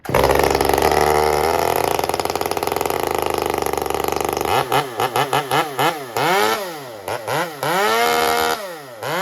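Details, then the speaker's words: Stihl MS201TC chainsaw with WCS billet muffler, after a couple of cuts to let M-tronic adapt, rings still seating: sharp high-pitched two-stroke held near full throttle, then quick clean blips rising and falling; runs healthy while breaking in. "Obviously we need to wait for this thing to get the rings to seat in. We'll see full performance at that point."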